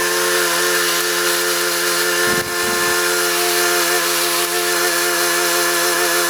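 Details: Briggs & Stratton Quantum single-cylinder engine for a self-propelled John Deere JS25 mower, parked since last October, buzzing at steady speed with one brief dip.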